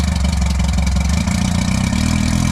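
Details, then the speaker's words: 1958 Johnson Super Seahorse V4 two-stroke outboard, first run after 5+ years sitting: deep, steady, even idle burble with regular pulse, no knocks or misses; normal idle. "See if it'll idle. Idling. Thing sounds mean. Sounds mean."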